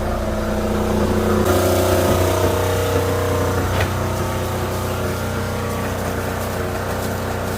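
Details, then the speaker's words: Diesel generator on a new Tiara 34 boat after its fuel/water separator was checked and fuel system primed, previously wouldn't stay running: steady even drone, no hunting, under AC load; now running good. "i started running longer than it did before all right the generator is running good"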